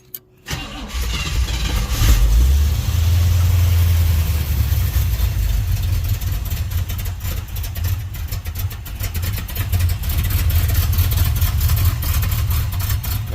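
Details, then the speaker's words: 1971 Chevrolet Monte Carlo, one-owner barn find that had not run in about 30 years, before new plugs and wires: starter catches, engine fires and settles into a deep, wavering, uneven idle; rough idle, owner suspects weak spark and carburetor needing adjustment. "think she'll run a lot better with those new plugs in there put some new wires on that kind of stuff just clean up that spark a little bit"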